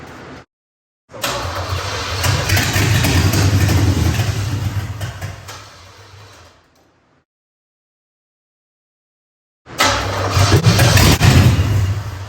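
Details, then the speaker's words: Third-gen Camaro Z28 305 H.O. on gravity-fed fuel after fuel system overhaul, fuel added to carb: catches, runs roughly about five seconds, dies, fires briefly again; not running long enough to pull gravity feed, inline pump planned. "So, the first attempt was a failure. It's not starting and running long enough to actually pull the fuel from the gravity feed that I had set up."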